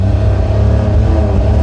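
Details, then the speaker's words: Autozam AZ-1 (Suzuki Cara), cold, just started, after new fuel rail and pressure regulator: at full throttle a loud flat drone stuck at about 4000 rpm, no climb in pitch; won't rev higher. "Same thing. I'm holding at 4,000, the pedal down. I'm holding the throttle down."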